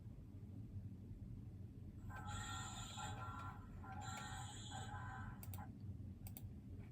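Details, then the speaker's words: Washer still spinning and working: low motor hum broken by two harsh screechy bursts from a worn, slipping drive belt; belt replaced. "So, first let's uh see uh the washer is still working but with a bad noisy sound."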